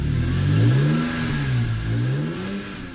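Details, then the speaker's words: BMW E46 M3 S54 straight-six after a VANOS rebuild and valve cover gasket job. It starts cleanly and free revs rise and fall smoothly with no knocks or ticks; healthy engine. "The engine is running as smooth as it's ever been. It's just amazing. It's like a completely new sound, a new feel."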